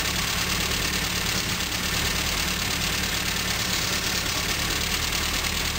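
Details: 1974 Morris Mini, 1400cc MiniSport short engine with about 10 miles, first start after seven years stored, fresh oil but old fuel, on choke: uneven idle with slight stumble and loose tappety clatter; rough idle, more work needed.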